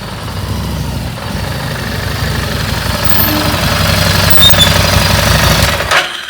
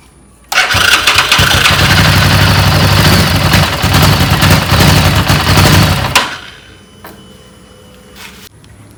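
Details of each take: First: Second-hand bike, single cylinder, after spark plug removed and refitted to cure a start-then-stall problem. Even tick-over at about three beats a second with no misses or stumbles before shutoff; now sounds correct, power restored. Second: Second-hand bike left unstarted about a month. Catches and runs rough about five seconds, then fades and dies; repeatedly starts then stalls. Fuel checked clean; air filter also suspected; traced to fouled spark plug.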